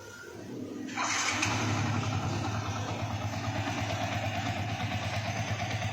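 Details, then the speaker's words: Yamaha Vixion 150cc after engine rebuild (badly worn cam chain tensioner replaced, new block, valves reseated, valve seals replaced; previously rough-sounding): fires after a second of cranking and settles into an even idle, no knock or rattle; smooth, typical Vixion sound. "Di sebelah sini halus. Oke. Sebelah sini juga sudah halus. Ini khas Vixion ya, suaranya memang seperti ini."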